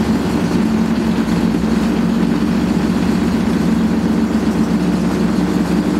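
Loud, constant low roar with a gritty rumble throughout the spin, holding steady; classic worn drum bearings.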